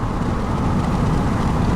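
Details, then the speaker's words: 2002 Chevy 2500 HD, 8.1L Vortec big-block V8, on a test drive after the bad part was replaced for a Reduced Engine Power complaint (DTC P1515 throttle performance). No codes, data good; smooth steady drone, no surging or bogging; drives nicely. "Truck drives nicely."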